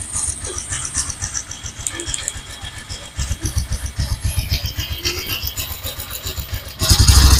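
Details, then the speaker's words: Honda Supra X 125 PGM-FI motorcycle: loose, uneven chattering "ngecrek" rattle at about three per second over the low single-cylinder beat, diagnosed as a worn, slack cam chain (rantai keteng) needing replacement. "oke ya teman-teman Jadi untuk suara seperti ini ya dipastikan ini suara rantai keteng yang berbunyi ngecrek Ya ini suara rantai keteng ya"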